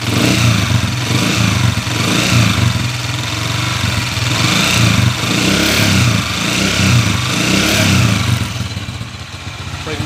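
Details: Honda TMX155 single-cylinder engine, under overhaul, revving up and down with a rough, uneven low thrum; there is a noise inside the engine, and the cause is not yet pinned down.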